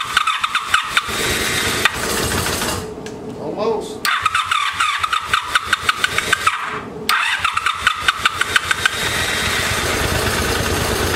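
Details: Abandoned 1984 Honda Sabre VF700S, first cold start after storage on a gas bottle with battery, after new ignition coils: cranks in bursts, catches, stumbles and cuts out twice, then runs ragged; smokes, water pouring from exhaust still burning off water and oil.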